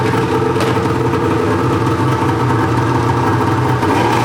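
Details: Arctic Cat two-stroke snowmobile after a temporary throttle positioning switch fix (previously shut off when throttle squeezed), pull-started with choke: steady, even drone holding one speed with no misses or stumbles, idling cleanly.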